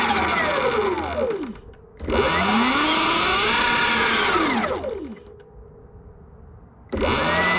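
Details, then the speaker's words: Sur Ron/Luna XX e-bike whose primary drive belt came too tight from the factory with a wah-wah sound, after adjusting tension: motor whine rises and falls smoothly with wheel speed, no slap or grinding; normal belt drive. "Okay, so I think I got it set up pretty good now. Take a little check."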